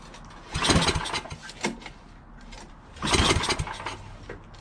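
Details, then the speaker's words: Yardman 8.5 hp 26-inch dual-stage snowblower found disassembled, oil good, gas in tank, throttle part missing: two recoil pulls spin and die without firing, smells of gas; cranks but won't start, spark then checked. "Alright, well, it doesn't start. Just try pulling it a few times and it won't start. Smell gas on it."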